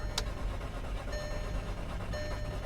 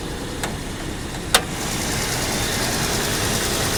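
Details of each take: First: Salvage 2007 VW Passat, 83,000 miles, at auction lot: two short bursts of brisk cranking that never catches; crank no start, owner suspects fuel pump or lack of gas. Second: 2007 VW Passat, hail-damaged salvage car, heard under the hood. Earlier it was suspected it might be trying to misfire. A couple of light clicks, then a steady, even idle with no stumble or vibration. Sounds fine for now.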